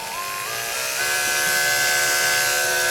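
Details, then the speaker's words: Rebuilt Andis SMC 5-speed grooming clipper tested with blade on, smooth steady buzz rising in pitch through speeds, no rattle; normal running after rebuild. "Put a blade on it. I like to test with the blade. Sounds beautiful."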